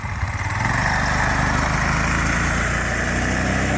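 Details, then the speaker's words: Go kart with a homemade junkyard muffler and luggage-rack exhaust, heard from a distance as it drives away: small engine buzzes evenly and softly, no raspy bark; exhaust now much quieter than before. "that's a whole lot quieter and I could barely even hear him now that's a whole lot better"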